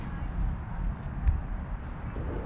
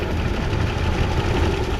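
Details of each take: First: 1988 Chevrolet Caprice Classic wagon, a barn find started after 15 years parked, with a fresh battery and fuel added: quiet for six seconds, then it catches and settles into a steady, even idle on its own. A normal start and idle. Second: 1988 Chevrolet Caprice Classic wagon, first start after 15 years in storage, needing only cleaning and a fresh battery: a low steady idle with a faint light ticking from the top end; mild valvetrain noise, cause unconfirmed.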